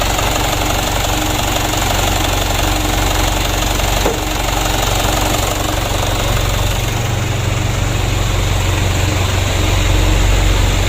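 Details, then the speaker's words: Mitsubishi Canter diesel after injection pump service with plunger replacement, previously hard-starting and unable to rev: even diesel clatter at steady idle, no stumbling or hunting; smooth normal idle after repair. "ini travelnya yang tidak mau digas sama sekali ya sulit hidup Nah setelah hidup tidak mau digas ini sudah kita service injection pump nya"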